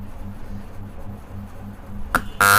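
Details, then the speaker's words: Coffee vending machine AC solenoid valve on AC supply: faint mains hum, then a sharp loud buzzing rattle when energised, unlike the other valve's single click; cause unknown. "तो दोस्तों, आपने comment करके बताना है कि इस सोलन वाल को मैं अगर इसी सप्लाई दे रहा हूं मैं तो यह ऐसी आवाज क्यों दे रही है?"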